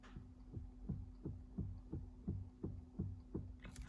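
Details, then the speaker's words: 1990 BMW 735i at 138,000 km after replacing a clicking steering universal joint: irregular dull clunks, and some play remains. Owner unsure of the source; tightening a loose big nut below helped a little. "the one thing i'm worried about is this noise not too sure if anybody else out there with uh uh 735i and 1990 there does seem to be a little bit of play here"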